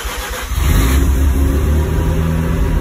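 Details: Mazda RX-7 FD rotary on stock ECU, swapped back from a Power FC, cranks and catches into a rough, uneven run but won't settle to a clean idle and seems ready to die; fuel pump now running, owner suspects throttle position sensor out of whack.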